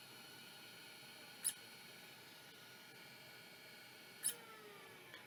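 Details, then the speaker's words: Toshiba MK56 vintage hard drive powered on bench: two sharp brief squeaks about three seconds apart over a faint whine; abnormal squeaking, drive probably not working, cause unconfirmed. "yes I don't think it's supposed to do that so that's probably not working sadly"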